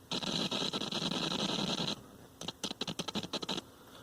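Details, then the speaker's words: Speaker crackle on a 1970s General Electric color TV, model CYA7342, during an ohmmeter test between chassis ground and heatsink: irregular scratchy bursts show the output transformer primary and transistor are alive. "there's something interesting if I go between chassis ground and the heatsink with my o meter we can hear crackling and the speaker"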